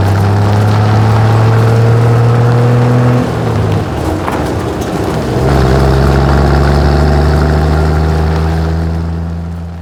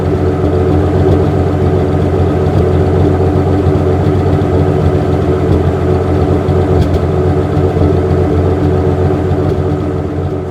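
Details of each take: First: 1963 Ford F100, carbureted with manual choke, after brake repair: idles, then stumbles and sags before recovering, keeps dying and wants a little choke; later fixed by swapping the fuel filter; rough running and stalling. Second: 1963 Ford F100, after timing, mixture and manual choke adjustment and swapping to a new plastic fuel filter that cured stalling: smooth, even idle with steady low rumble, no stumble or misfire.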